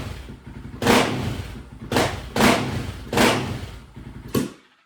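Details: Honda TRX 700 with stage 3 label and Vortex ECU after map adjustments and airbox lid removed (water found in airbox): five sharp throttle blips, stumbling and bogging at low revs; runs better but still rough, owner suspects flooding, rich on bottom end.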